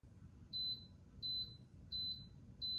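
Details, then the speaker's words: Ultra Infuser on honey setting (1 hour 30 minutes): four short, high, even beeps about two-thirds of a second apart when infusion ends, with "end" on display; normal cycle-finished signal. "When the infusion ends, you'll hear a series of beeps like this,"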